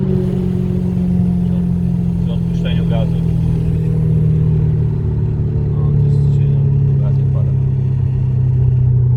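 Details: Audi A4 1.8T with Multitronic transmission, low steady whine drifting up and down in pitch with road speed; drivetrain whine, source unconfirmed.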